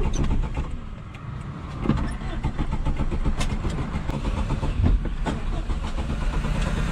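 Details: 1989 Suzuki Khyber/Cultus, G10 993cc petrol, 100hp, 4-speed manual FWD, POV drive: rough, uneven engine under load, revs sagging and surging, barely keeps going; engine stalling, cause unknown.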